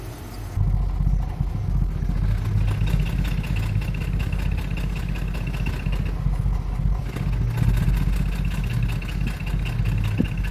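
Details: Mercedes-Benz SUV, newly bought by the owner, with codes P0300, P2090 and P0353 and a flashing check engine light: an uneven, lumpy idle with irregular stumbles in the exhaust beat.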